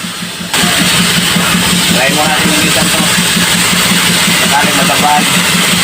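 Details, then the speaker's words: Isuzu 4HL1 diesel, hard starting: long even cranking, three pulses a second, without catching; engine hunts when running and needs fuel pump priming after shutdown. Cleaning the crankshaft sensor didn't help; crankshaft position sensor suspected. "mahaba ang cranking at saka magtag ang andar ng makina"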